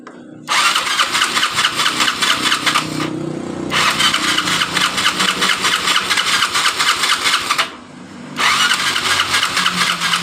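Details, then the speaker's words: Yamaha Mio Sporty scooter that died while riding, new spark plug fitted: two long electric-starter bursts spin the engine evenly but it never fires; compression, ignition and fuel flow normal, cam timing suspected to have slipped. "motor ini belum bisa hidup juga dan kita mau cek Apakah bensin atau bahan bakar dari motor ini lancar atau tidak"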